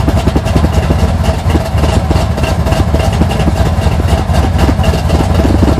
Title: 1980 Sierra C15 Junkyard L31 Vortec 350 Summit K1107 488 510 Lift Cam Cold Start Rough Idle